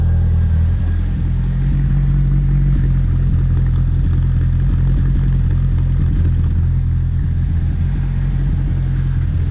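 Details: Merkur XR4Ti after fuel system upgrades (fuel pump, filter, boost controller), heard after the exhaust was reinstalled: a deep, steady, even drone with no rasp or blowing leaks, much quieter; the exhaust is sealed and it runs healthy.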